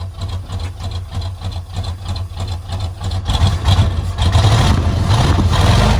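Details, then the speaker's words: 1971 Chevelle Malibu small block, sat 20+ years, running on gas through the fuel pump: rough, loud exhaust pulsing at idle, swelling when revved; they suspect a blown muffler on one side, or a miss. "I don't know if it's missing or if it's blown the muffler's blown out on this side cuz I kind of hear smoking a hell of a lot more on that yeah I think the muffler's blown out rever up a little bit"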